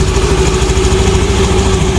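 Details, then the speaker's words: Honda Beat fuel-injected scooter with the idle actuator socket unplugged to stop self-revving: it starts straight to stable idle without the usual 3–5 second high idle; even, settled low hum, no surge, normal idle. "Nah kalau ini langsung gasnya stasioner ya langsung normal karena enggak pakai cup"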